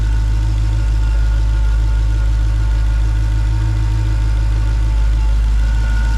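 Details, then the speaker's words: Supercharged V8 Dodge Charger (ex-2019 Scat Pack, Hellcat conversion), first start in 2.5 months after reinstalling supercharger: deep, steady idle with even low rumble, no misses, knocks or ticks; sounds good, normal idle. "And she sounds good though."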